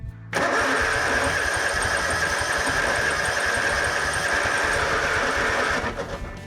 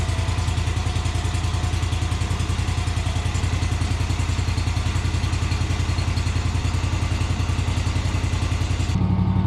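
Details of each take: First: Kawasaki-engined Yazoo Kees ZT Max 42-inch zero-turn mower cranking after electrical connector repair: steady starter whir without firing, fuel filter dry, prime lost; owner suspects carburetor issue or stuck backfire solenoid; crank no start from fuel starvation. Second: Kawasaki-engined Yazoo Kees ZT Max 42-inch zero-turn mower, started on full choke after the fuel system ran dry: long steady cranking, then it fires and settles into an even idle that sounds mechanically sound.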